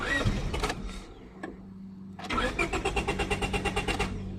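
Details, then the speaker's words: 2000 Honda Civic 1.6L SOHC, cold and wet: long cranking, brief stumble, then barely catches and lopes unevenly; wet ignition fault in the distributor (cracked cap, moisture) causing a hard start. "well we know at the very least it is in the distributor area so somewhere all up in this John piece we've got issues"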